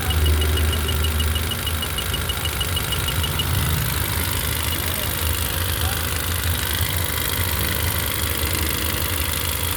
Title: Honda city issue misfire